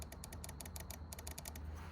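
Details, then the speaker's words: Relay removed from a 2001 Jeep WJ stuck in transmission limp mode, bench-tested by powering coil posts 85 and 86 from the battery: quick run of crisp sharp clicks with no hum as the coil pulls in and the contacts snap over; normal energized relay click. "So I'm going to see if the relay clicks when I touch them together. And it does."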